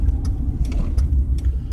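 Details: Car driving around 30 mph after hitting something on the road: loud raspy, puffing exhaust note over the engine drone from a resulting exhaust leak.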